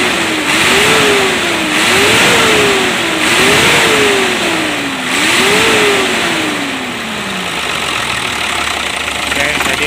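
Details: Hino Lohan turbo diesel truck revved after adjustment, aiming for rpm to reach 2000: engine rises and falls cleanly through repeated blips about every two seconds, then winds down smoothly; revs freely and evenly.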